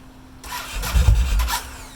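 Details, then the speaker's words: Cold Yamaha Road Star Warrior 1700 after Raider-starter "Frankenstarter" mod, 4-gauge cables, lithium battery, compression solenoid tested fine; brief sluggish churn before stumbling into life, resetting clock. Slow cranking hard start, mod didn't fix it. "So unfortunately, that starter mod doesn't change a thing."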